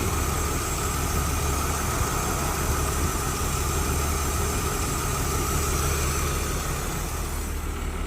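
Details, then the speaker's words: BMW E36 Dakar, built M52 bored to 86.6mm with S52 crank, Uuc Corsa RSC exhaust, started after sitting with new battery, blowing smoke: uneven stumbling exhaust beat with occasional skip; owner unsure if misfire or exhaust burble; rough idle. "so you can hear there's a misfire but the burble still works so well i'm not sure if that's a misfire or if that's just the exhaust"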